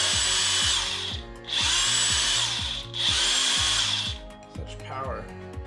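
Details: Brand-new DeWalt 1/2" cordless impact wrench with an 8 Ah battery, run unloaded: three short bursts of steady high motor whine with no hammering, each spinning up and coasting down evenly; normal free-running operation.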